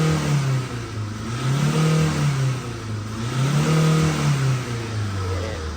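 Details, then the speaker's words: Tata diesel 2.2 (140) engine revving up and down smoothly in repeated blips without shaking, after fuel was bled through. Earlier it shook when revved. Check engine light traced to the turbo not working; the car now pulls past 4,000 rpm. "น้ำมันมาเต็มแล้วตอนนี้เบิ้ลได้ปกติแล้วไม่มีสันแล้วนะ"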